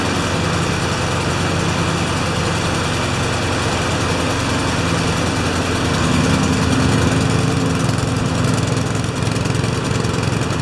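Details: Honda engine after a tune-up (oil change, cleaned spark plug, new air filter, sharpened blade) on its post-service functional test: a steady, even putter at a constant fast pace with no misses or rattles, running smoothly and healthy.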